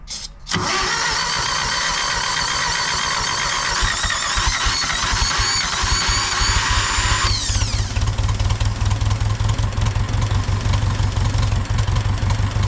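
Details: Engine started with hand-applied choke and help on the throttle, then cranks briefly, catches and settles into a steady, even run with a firm low beat; running properly.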